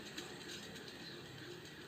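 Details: Ceiling fan switched off and coasting: dry, scratchy ratcheting rub continues, from a loose bearing seat on a worn shaft rather than failed bearings; repairable without replacing bearings.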